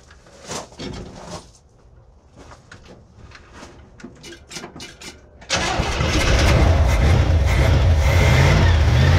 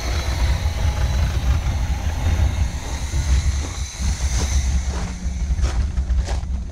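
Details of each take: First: 1971 Chevy K10 4x4 pickup, 350 small-block V8 with carburetor, first start after sitting ~10 years, cold, choke on, carb gasket leaking: cranks, catches, fires at about five seconds and settles into a low, slightly lumpy idle; owner suspects old gas. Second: 1971 Chevy K10 4x4 pickup, small-block 350 V8, just restarted after sitting 10 years, choke on, smoking, fuel leaking: steady idle, no ticking or clatter; valvetrain quiet and healthy.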